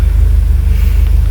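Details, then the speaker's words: Peugeot 807 that had misfired with the check-engine light on, after a part was replaced (injector problem suspected): steady, even idle now stable at about 900 rpm versus about 750 before, check-engine light off. "Suara mesin juga beda, Teman-teman. Dan RPM-nya juga lebih stabil, ya. Lebih stabil di 900."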